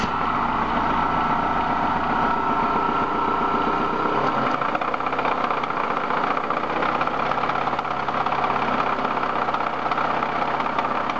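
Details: BMW M42 engine at idle: loud, sharp, regular knocking running through the steady engine hum; source not identified.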